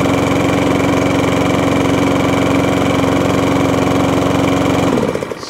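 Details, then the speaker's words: Discarded lawn mower, thought to be a 2017 model, primed, running smooth and even at a steady fast pace for five seconds, then cutting out cleanly; engine runs healthy. "There's another one running."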